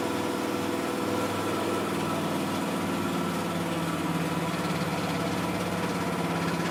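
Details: Miele Softtronic W6544 washing machine with a loose drum: steady churning run with a rough, loose rumble as the drum turns; drum spider (Trommelkreuz) broken, though bearing damage had been suspected.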